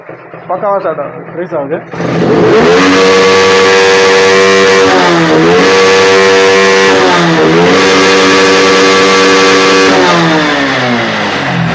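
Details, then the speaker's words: Honda X-Blade motorcycle with low pickup, run with the local aftermarket air filter removed: revs up and drops back several times, crisp without bogging, reaching full throttle 11000 rpm; the local filter choked it, fixed by fitting a genuine Honda filter. "இப்ப நான் இந்த ஏர் filter கழட்டிட்டு start பண்றேன் பாருங்க வண்டி பக்காவா full throttle 11000 rpm வரைக்கும் போகுது"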